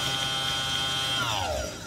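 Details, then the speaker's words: Electric motor on a Tomos moped electric conversion, spun at high speed: strong, steady high-pitched whine that falls smoothly as it spins down; whine occurs only at high speed, owner guesses it's okay. "shouldn't do that you need a different yeah so that's just the high speed that does that i guess it's okay"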